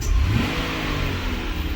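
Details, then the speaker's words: 2007 Buick Lucerne with a linear EGR valve jumped so it is commanded open at idle: the engine revs briefly, then settles into an uneven, stumbling, misfire-like rough idle caused by the open EGR valve. "it's it's trying really hard to do so yeah it sounds like a misfire almost"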